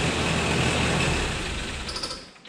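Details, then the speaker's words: 1985 Daihatsu Rocky 2.0 L petrol, running after months of sitting, no coolant yet and oil due for a change: engine runs smooth and even with no misses or knocks; normal running, though the starter had been grinding. "I don't have any coolants in there yet I've got to change that oil um but there we go she runs absolutely fantastic"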